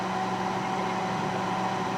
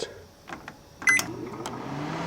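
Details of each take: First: Panasonic first-generation inverter microwave: steady fan and turntable hum with a faint tone near 200 Hz, but no magnetron buzz; not heating at all, magnetron giving no output while inverter seems active. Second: Panasonic inverter microwave with a new fuse and switch, heating a cup of water: keypad beeps, then a steady low hum and smooth fan whir; runs and heats normally, though buzzing was noticed near the choke.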